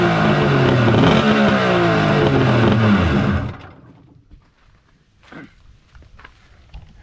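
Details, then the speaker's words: Kawasaki 1100 triple engine running with a SeaRat e-box (CDI) swapped in from a mini jet boat, a test of whether the e-box is good. A strong, even buzzing run with a steady firing beat for about three seconds, then a clean shutdown: the e-box is likely good, and the fault is suspected in the stator/flywheel front cover. "so if this e-box fires up and works here then i can confirm that whatever is wrong on the jet boat is in the front engine cover stator section flywheel something in there"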